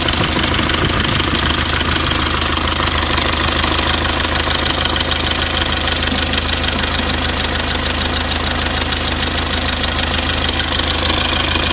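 Diesel idling with a sharp, fairly regular knock riding over the clatter, about two per second; a knock of unknown cause.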